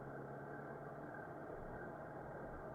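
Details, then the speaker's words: 1986 Honda GL1200 Goldwing, over 400 miles since revival, not yet at temperature, on slight choke: soft, smooth, even idle with low steady hum, no knocks or stumbles. Normal warm-up idle. "okay not optimal temperature yet but I did put some warmth in it and we'll run a little tiny choke for now until she gets warmed up let's ride"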